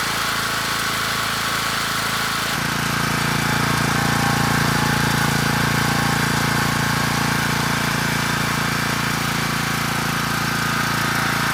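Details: Rebuilt Champion 458cc dual-fuel generator engine (original dropped a valve at about a year old), first start on electric start with choke on: catches and settles to steady even beat around 214 a minute, no knocking or misses; healthy.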